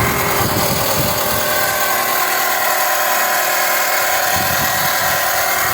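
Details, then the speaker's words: Dodge engine (Avenger/Journey/Chrysler 200) idling: steady whirring whine over the engine, constant with speed; the dusty alternator vibrates when touched, a worn alternator bearing. "Está todo lleno de polvito ahí el alternador A menos que sea otra cosa una sorpresa pero siempre toco el alternador lo estoy tocando y aquí se siente la vibración nomás con tocar"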